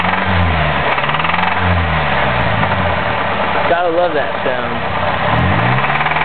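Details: Chevrolet Cavalier small four-cylinder revving and returning to idle: light, regular knock following engine speed, knocking recurring; cause not identified.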